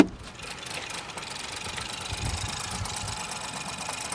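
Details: Ford Focus 1.0 EcoBoost with codes P2111 and P2135, throttle stuck open; uneven stumbling idle with irregular low thumps and no steady beat while testing the throttle pedal position sensor and actuator; engine misfiring; cause suspected, not confirmed.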